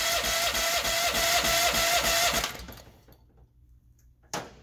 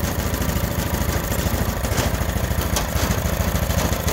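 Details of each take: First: Honda GX390 engine on a test stand with auto choke left off: fast, even cranking for about two seconds without catching. It has always needed manual choking; the auto choke is suspected of not working. Cranks but won't start. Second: Honda GX390 on a stand-up machine, factory auto choke that never worked now fixed: starts and the vacuum opens the choke; steady, even low thump at idle, no misses or rattles, idling cleanly.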